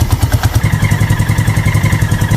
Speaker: Es un golpe más profundo y amortiguado. [música] Ese es ruido de cigüeñal y ya indica un problema serio interno.